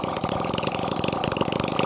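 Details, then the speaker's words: Nasa 2002 four-stroke motorcycle after new 0.25 oversize piston, crossed ring gaps and new valve seals to cure white smoke and oil loss, run without exhaust: crisp even popping at steady idle, no knock or misfire; normal idle. "mesin di sini sangat lancar sekali semburannya Oke ini sudah aman sekali"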